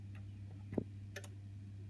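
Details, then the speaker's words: Honeywell heating programmer, boiler not turning on: over mains hum, one firm click with heating on, none for hot water, then two near-simultaneous clicks on heating off; programmer relays faulty. "I'll put the hot water on you won't hear a click at all and when I turn the heating off you'll hear two clicks almost simultaneous almost together"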